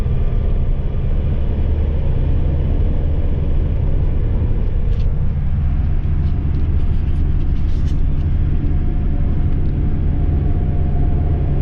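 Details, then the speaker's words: Ford Transit Mk7 front-wheel-drive van, driver's side front wheel bearing rumbling for a couple of weeks, recorded while driving before replacement: steady, deep, low-pitched droning rumble at road speed; worn wheel bearing. "So let's see if we can replicate the noise on the wheel bearing and see where we go from there."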